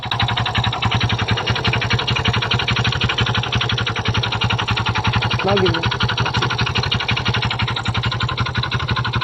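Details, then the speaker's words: Kymco Visar 110 scooter at idle: fast, steady metallic knocking rattle from inside the engine; clutch is the usual suspect on Kymcos, but the mechanic doubts the clutch is the cause and checks it anyway. "hanggang ngayon narinig niyo na ang tunog ng kanyang makina so kadalasang issue ng mga kimco guys ay nangagaling tunog na ganyang ingay is nasa kanyang clutch"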